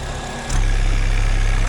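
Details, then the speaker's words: GM 2.4 L Ecotec with check engine light, oil puking from the dipstick, idling with the oil cap off: loud, deep pulsing chuff at the filler with the cap vibrating; heavy crankcase pressure from a clogged PCV valve. "There's a lot of pressure in that crankcase. The cap itself is just vibrating because it's actually got pressure behind it."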